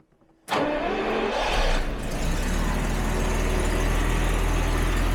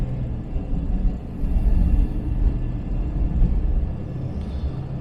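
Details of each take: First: 1977 Jaguar XJ12 V12, recently back on the road after three years, cold start after throttle bodies closed slightly: brief crank, fast even cold idle with a faint puffing tick, an exhaust leak present only when cold; new parts to be fitted. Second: 1977 Jaguar XJ12 V12, after fixing a low-speed hesitation/miss, pulling away gently from a junction at about 10 km/h on light throttle: deep, even rumble swells smoothly, no stumble or bog; idle dead smooth, hesitation seemingly fixed.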